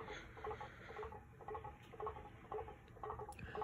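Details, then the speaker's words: Harbor Breeze Bella Vista ceiling fan with blades that are not reversible. Light, even ticking about twice a second over a quiet room, matching each turn, as the fan wobbles back and forth; the blades are badly out of balance. "yup blades are way out whack as you can see"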